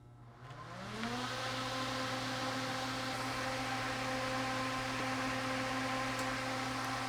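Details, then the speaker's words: Mr. Heater propane torpedo heater not igniting: fan spins up to a steady whir and hum but no ignition whoosh; no voltage at the igniter red wire, so the ignition module is bad and sends no spark signal. "There is no voltage. Since we don't get any voltage, that means the module's bad. It's not sending a signal to the igniter."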